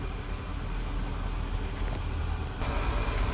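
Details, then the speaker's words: Warm 2003 Land Rover Range Rover HSE engine runs with an uneven, stumbling misfire; fine on cold start, misfires once warmer. Check engine light on, no stored codes read; fixed by replacing ignition coils and spark plugs. "So this is what happens when it's like on the cold start. It works fine, but once it gets warmer, it starts to misfire and stuff like that."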